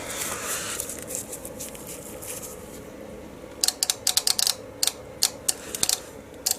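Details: Nissan automatic transmission with fault code P0745: the confirmed solenoid is fed power directly with a separate earth, and sharp, dry clicks come in quick bunches each time power is applied, so the solenoid switches as it should.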